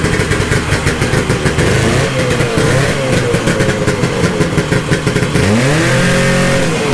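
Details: 1972 Ski-Doo Nordic 440 snowmobile with a rebuilt two-stroke engine and a preliminary carburetor adjustment, cold started after a week. Crackly burbling at a fast idle, then a clean rising rev at about five seconds that holds steady; running properly.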